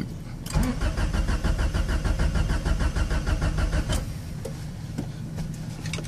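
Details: Honda Prelude cranking after a new distributor cap, rotor, wires, plugs, idle air control, EGR valve, timing belt, starter and a redone head; starter turns it evenly about three beats a second but it never fires.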